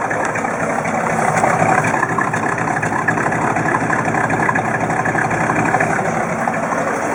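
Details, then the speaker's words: 1958 Chevrolet Bel Air V8, cold, first runs after restoration on cold day: light ticking about four times a second over the exhaust rumble at idle; owner suspects an exhaust leak. "I'm going to see if I can get it to idle good is one idle oh I think I got an exhaust leak"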